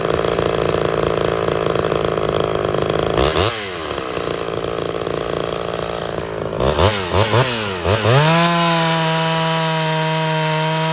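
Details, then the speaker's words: Ported Homelite XL-76 two-stroke chainsaw, earlier fuel starvation problems, test cut in wood: howls at high revs, pitch sags as chain bites then recovers to steady scream; normal running under cutting load. "well there she is she's actually working I wasn't expecting that so hey I think we're ready to move on and further testing"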